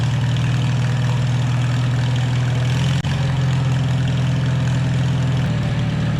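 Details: 1949 Farmall H tractor after sitting for years: steady low idle with a faint whirring drone underneath. Rear end was low on gear oil, causing the noise. Owner had wondered about rust or something stuck near the input shaft. Diesel was then added to flush it.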